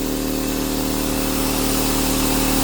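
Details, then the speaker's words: Fortress 200 psi 27-gallon air compressor that wouldn't start; pressure switch tapped to restore contact. It now runs with a steady, even motor drone and constant hum, no knocks or stumbles. Working normally. "This is what happened. Working now. Bingo."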